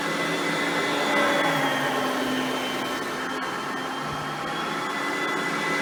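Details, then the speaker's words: Oreck XL Platinum vacuum, direct-air design, switched on: smooth steady motor hum with soft airy rush, no rattle, grinding or rising squeal — quiet, normal running. "and as you can hear both are pretty quiet vacuums for being that there are both direct air based vacuums"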